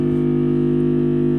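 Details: Home theatre amplifier on mains power: steady, loud low hum of fixed pitch; power-supply filter capacitor found with its negative point disconnected, broken jumper; mains hum from faulty filter capacitor.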